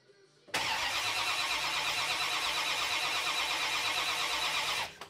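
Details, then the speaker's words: Barn-find 1962 Impala SS convertible with a 327 V8: steady starter whir for about four seconds and it never fires. It cranks but gets no fuel because of a blockage in the existing line from the new tank to the fuel pump. "well we couldn't get gas to the carburetor so there's only one thing that could it be it was a blockage in the main line from the tank"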